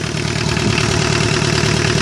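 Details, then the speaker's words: 1985 Ford Escort with factory replacement Mazda RF 2.0-litre diesel, low miles, first start after sitting 3 years; steady even diesel clatter at smooth idle with no misses or knocks, running sweetly. "look you listen to that thing running that's a diesel 2 liter diesel engine"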